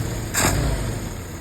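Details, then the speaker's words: 1948 Willys pickup: professionally rebuilt carburetor on its test run gets a quick throttle blip, then drops back to a low, steady, even idle with no misses. Smooth and clean, a lot better than how the carburetor came in. "A lot better than what came in here. Nice and smooth."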